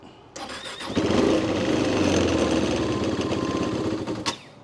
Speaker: Oh, it cranks. Come on, come on. Oh, it's thinking about